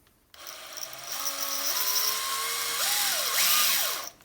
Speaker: Start off slowly, and you'll hear the drill bit going through the surface of the tile.